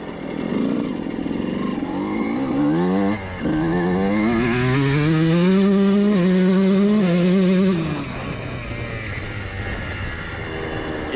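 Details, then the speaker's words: Two-stroke dirt bike (CR125) after jetting adjustment, ridden up and down: crisp revs rising cleanly to a strong steady top end and dropping back without stumbling; earlier top-end spluttering gone, running clean. "vraiment vraiment propre maintenant oui c'est parfait juste où je voulais le voir"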